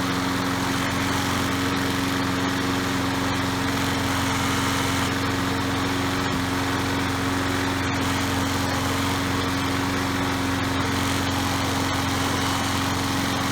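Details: Troy-Bilt 3-in-1 self-propelled mower with Briggs & Stratton 675 series 190cc engine, curbside find, after repair: steady, even single-cylinder drone with constant pitch and no misses or surging; runs normally.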